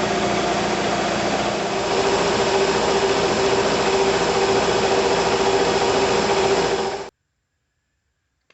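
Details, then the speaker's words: Bigger shop air compressor, first pressure build with no regulator: steady pumping chug at about 214 strokes a minute, even and unbroken, then abrupt silence as the pressure switch cuts out around 135 psi; normal run to cutout. "looks like it shuts off right around 135"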